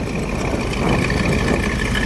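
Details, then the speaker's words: 1970 Dodge Challenger with a 340 V8 replacing the original 318, Edelbrock Performer intake, Edelbrock 4-barrel carburetor, T/A side-exit exhaust: steady, even low rumble at idle through the side pipes, not over the top, no misses or ticks. "Sounds great too. The exhaust coming out the side. Got a little rumble to it. Not over the top."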